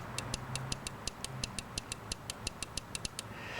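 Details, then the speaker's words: Nissan Altima with codes P0325, P0400, P1400: EGR solenoid, measured 34.3 ohms, energized with a 9 V battery gives crisp sharp clicks about five per second over a quiet hum; solenoid clicking on and off, later found open and replaced. "you just hook up a 9vt battery to the wires on the sensor and I don't know if we can hear it maybe we can hear it you can hear how that clicks off and"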